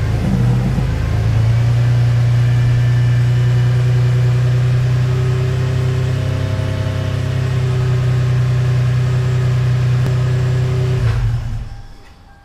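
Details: 1996 Toyota Tacoma on a test drive after the failed rear wheel bearing was replaced: smooth, even low road drone at steady speed with no growl or rhythmic rumble, so the rear wheel bearing sounds healthy.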